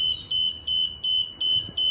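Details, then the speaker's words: Jibbi 1250 boom lift with Yanmar engine, before engine start: six high even beeps about three per second as the ECU initialises after e-stops released; normal startup beeps. "we're going to wait for the machine's ECU to do its startup process this startup process you'll hear some beeps as that computer is initializing"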